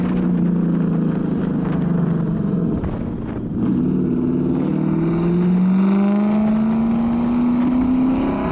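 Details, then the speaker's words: Petrol car engine after new spark plugs and a new ignition coil to cure a misfire, revving up smoothly and evenly with no stumbling; it runs good now: smooth-running engine. "it actually ended up sorting out all the issues so it runs good now"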